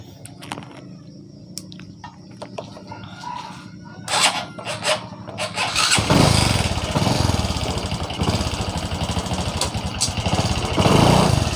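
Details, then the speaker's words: Honda Supra X 125 Karisma: on throttle the engine revs loud and high before the bike slowly pulls away, weak on hills; slipping centrifugal clutch from thin clutch shoes, possibly a worn clutch bell. "di sini pada saat kita gas ini motornya itu tidak langsung jalan ini motornya itu teriak baru jalan kita coba lagi jadi suara motornya Yang kencang tapi larinya pelan"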